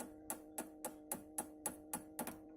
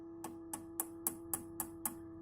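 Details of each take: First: Orange RockerVerb 50 guitar amp needing almost all tubes replaced: motorboating sound, and tapping the power tubes gives pinging, ringing thumps through the speaker over steady hum, showing microphonic power tubes. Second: Orange RockerVerb 50 guitar amp: light taps on a tube give short dead clicks over a steady hum with no ringing; this tube is not microphonic.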